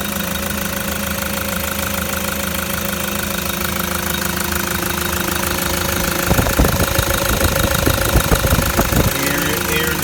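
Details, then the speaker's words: Toyota Land Cruiser 120 Prado diesel with a new replacement engine, first start after the rebuild: steady, even idle with a smooth rhythm and a few clunks partway through, no smoke at the tailpipe, sounds like a gem; normal idle. "oh beautiful as soon as it starts it just sounds like an absolute gem but i love those brand new genuine modes and this is it the tailpipe not a breath of smoke either"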